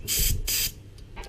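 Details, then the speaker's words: Hyundai Elantra A/C recharge after discharge hose replacement and vacuum hold test: refrigerant can pierced on the charging hose, two quick sharp bursts of gas hiss as air bleeds off; normal purge. "Now we'll go and pierce it. You hear it charge up, bleed off the air."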